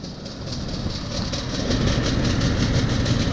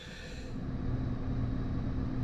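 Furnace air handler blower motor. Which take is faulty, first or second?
first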